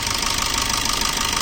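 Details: Maruti Swift, injectors being removed for a customer problem: fast, even tapping over a hissy idle, steady and unchanging; engine knock at idle whose source is unconfirmed.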